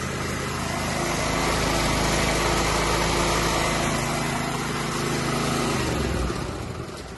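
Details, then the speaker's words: 3000 W petrol generator that sat a year with fuel in it, after draining stale petrol and cleaning clogged filters, carb and plug: a steady high-pitched drone at full governed speed, ramped up from low voltage. No surging or misses; it is generating electricity healthily. "There's it now on full speed, and our generator is generating electricity."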